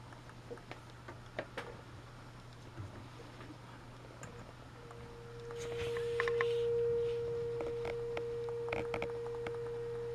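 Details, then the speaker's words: 1941 Motorola 83K1 radio being fitted with Bluetooth, signal injected past the tone control at a tube top cap: faint steady tone near 500 Hz barely above hiss and clicks; signal getting lost in tube stages, suspected. "I mean you can just barely you can hear it just barely okay I've got it on there I just took it off I just put it back on you can just barely hear it"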